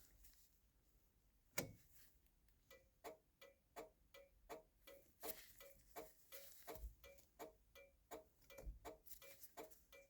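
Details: 1966 Chrysler New Yorker: steady click-click about once every second and a half keeps going with the turn signal switch centred and even off; flasher stuck on, indicators not cancelling. Turn signal switch stripped and cleaned.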